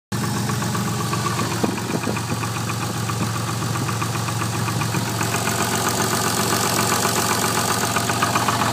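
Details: Twin-turbo Toyota Supra at idle: a steady engine note with a loose, fairly regular light knock riding on it; piston slap is suspected but the cause is not confirmed.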